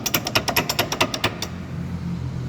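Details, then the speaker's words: Pickup truck driveshaft with "tec tec" knock when accelerating and decelerating: about ten sharp metallic knocks as shaft is worked by hand; excessive play in worn transmission U-joint, seal also leaking. "o estalo então quando tiver aí esse tipo de Instala aí acelerando e reduzindo é isso aqui ó Cruzeta Cruzeta da transmissão é assim então tá demais já tem um batida aí ó"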